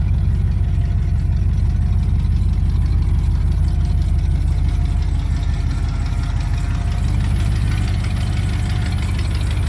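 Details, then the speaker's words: 1995 Ford F-150 4x4 being revived after sitting, coolant topped off. Deep, even V8 burble at steady idle with no misses, knocks or hammering; normal idle. "Wow. No hammering action, no nothing."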